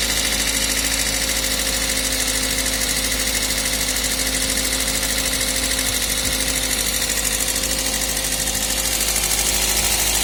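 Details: Toyota 1ZZ engine at idle: steady idle with fast, light ticking about two or three a second on top; valve train tapping.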